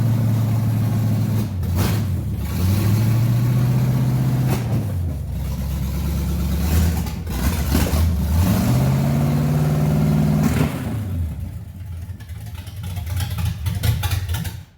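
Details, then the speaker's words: Z28 with a new small-block 350 V8 on first start, timing not yet tuned, side pipe broken off underneath; a raw, loud V8 blipping up and down, lumpy at idle with harsh exhaust; rough idle and loud exhaust. "all right suspect that if we turn the key it's gonna run it's probably going to run lumpy because obviously there's no kind of tuning on this bad boy yet timing wise but we're pretty sure she go run"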